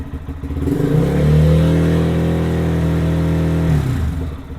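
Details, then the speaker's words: Lifan KPM 200 single-cylinder motorcycle revved after a battery replacement: picks up smoothly from idle, holds an even rev and drops back cleanly; charging rises from 13.6 to 13.8 volts, so charging system and battery are good. "It went up to 13.8 volts. So the charging system's good and the battery is good."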